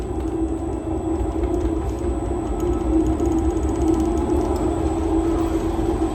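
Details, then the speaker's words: Honey extractor on new wheeled stand, empty (no honey or frames), brakes off, run at half then up to 80% speed: steady even hum, constant mid-pitch tone, no knocking or wobble — normal running. "That vibration you can hear is just that. That's what's making the noise at the moment."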